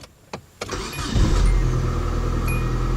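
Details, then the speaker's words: 1993 Nissan Altima after replacing the failed ECM relay that caused its crank-no-start. A couple of clicks and a brief crank, then it catches and settles into a steady, even idle; it restarts normally. "look at that guys and girls that is perfect yeah shut it off start back up again"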